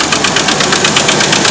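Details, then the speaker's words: Red truck idling in neutral (won't go into park); sharp metallic knocks about five per second over the engine hum — internal engine knock, cause not confirmed; owner thinks the engine needs replacing. "very great truck but you can hear why i need to change or get my engine replaced"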